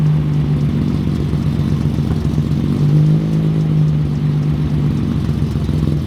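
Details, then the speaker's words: Datsun 280Z, very cold start after exhaust leak repair: uneven lumpy idle that wavers instead of settling; air-fuel ratios still jumping, possibly worse than before; cause not found. "It looks like we didn't fix the issue. The air-fuel ratios are still all over the place."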